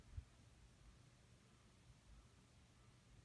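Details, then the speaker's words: Casablanca Four Seasons III ceiling fan with CFL light, running on medium speed: faint, steady low motor hum under a quiet room; cause not identified. "oh yes you can definitely hear it hum on this speed and we'll do high speed now"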